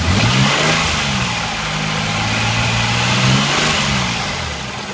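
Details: 1986 Nissan 300ZX idling and blipping: low, uneven, lumpy firing with a steady airy wash on top, consistent with a vacuum leak.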